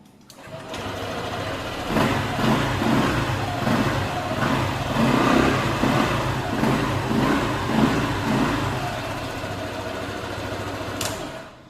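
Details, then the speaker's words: Honda ADV scooter with stuck smart key ignition knob, knob freed by jumpering: engine catches after brief crank, settles to even idle, picks up cleanly on blips; normal running and revving. "jumper lagi tek baru bisa diputar tuh dan motor bisa hidup"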